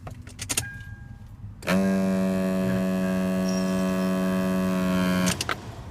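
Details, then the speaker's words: Lexus IS300 dash behind glove box: clicks then loud steady buzzing grinding drone when key turned on, regardless of AC; HVAC actuator, silenced by unplugging it. "Because once I turn on the key, it's making this grinding noise."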